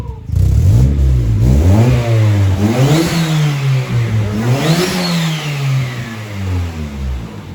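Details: Honda Civic D16Y7 1.6L SOHC non-VTEC inline-four, newly turbocharged (0.63 A/R eBay turbo, 8 lb wastegate spring, 240cc injectors, stock ECU, no tune), first start: two clean free revs with rising and falling turbo whistle, boost building normally; healthy spool.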